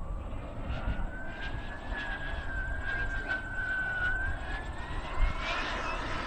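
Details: RC jet model's turbine engine in flight: a steady high whistle under wind noise drifts down and back up over a few seconds, an unsteady hunting surge, before the turbine flames out mid-flight; cause under investigation.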